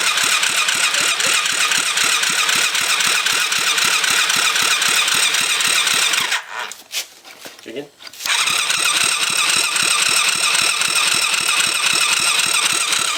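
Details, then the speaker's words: Rebuilt kids' 110cc quad on electric start, fuel reconnected: steady cranking about four beats a second, a pause, more cranking, never fires; spark plug still dry, engine still starved of fuel. "Let's take the spark plug out and see if we have um fuel now."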